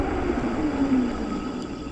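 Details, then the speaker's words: E-bike front brake after upgrading from 180mm to 203mm rotor, over 5,000 miles, previously squeaky for about 3,000 miles: quick stop with road and drivetrain noise fading smoothly, no squeal or grinding; quiet disc brake stop. "so first of all I'm going to do a quick stop you can see my brakes are as quiet as can be"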